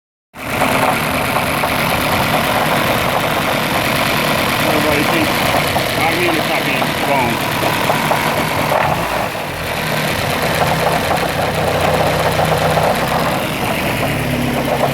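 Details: Idling petrol engine with a loose, fast knock of about four beats a second, which began after revving to 8500 rpm. Distributor key tooth was broken, and there is no noise when cranked with plugs out. Oil pressure is good and the head was checked. Possible rod knock, unconfirmed.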